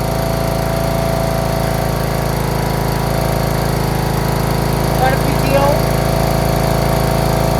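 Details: John Deere RX75 rear-engine riding mower, first start after ignition switch replacement and reassembly, choked, in neutral: steady, even single-cylinder drone with smooth unchanging beat, no misses or knocks; normal idle, running well.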